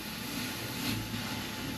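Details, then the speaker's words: Sailboat engine fuel hose blown through with a blowgun after troubleshooting engine issues: steady airy hiss with soft gurgle as air bubbles into the fuel tank; fuel line clear. "How satisfying is that noise, eh? Yeah. I can hear it bubbling in the fuel tank."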